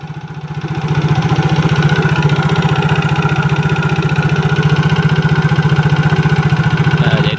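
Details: Yamaha Mio GT scooter idling with a fast, even, harsh rattling clatter that carries toward the rear like a CVT noise; mechanic suspects worn piston or cylinder block before checking the CVT.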